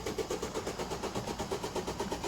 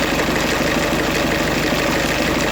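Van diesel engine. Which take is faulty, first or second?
first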